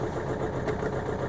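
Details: Low, lumpy idle with an uneven chug that stumbles rather than running smooth; OBD Eleven scan shows misfire on cylinder 3 with a voltage fault, suspected wiring loom; cylinder misfire.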